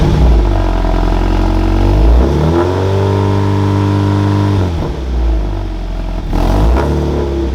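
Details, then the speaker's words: Supercharged Scion FR-S track car, cold, after HKS equal-length header and overpipe replaced a leaking exhaust, tune not yet adjusted: blips up and settles back cleanly, smooth exhaust note, no ticking or puffing; much smoother rev range. "Oh, the rev range is so much smoother."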